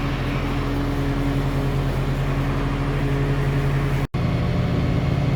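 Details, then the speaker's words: Outdoor unit of a 2-stage central AC at a rental property, earlier dead because it was miswired, running after the disconnect is reinserted; steady even low hum at one pitch, no rattles or clicking; normal running. "Voila! I plugged the disconnect in and it immediately started running. So it was just miswired."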